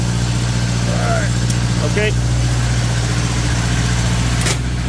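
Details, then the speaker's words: Onan 15.0 JC generator on gasoline after swapping the gaseous carburetor for a tri-fuel carburetor, load tested to about 15 kW, 120/240 V single phase: runs steady, even and smooth with a low hum. "so once again to recap this thing on gasoline with the tri-fuel carb that I got from 10 uh Fords works perfectly"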